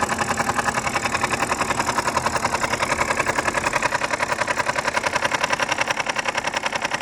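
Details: BMW 5 Series F10 with N52B25 engine on a cold start: sharp, even, light metallic ticking about three to four times a second over the idle until it warms; the oil pump is knocking, fixed by replacing it.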